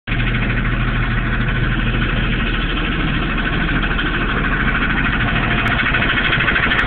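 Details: Steady idle with a loose, uneven knock at about three per second under the engine note. The owner suspects rod knock or something in the transmission area; the cause is unclear.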